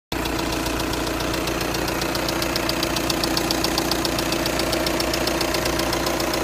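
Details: 2.0 TDI diesel CFFB 103 kW at idle: sharp even tick about 220 times a minute over steady idle; engine ticking, cause unconfirmed.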